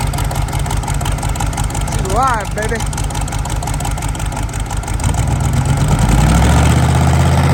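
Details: CUCV Chevy squarebody diesel running rough with an uneven heavy knock buried in the clatter, swelling as it revs; owner first thought flywheel, now suspects a rod about to come out the side of the block.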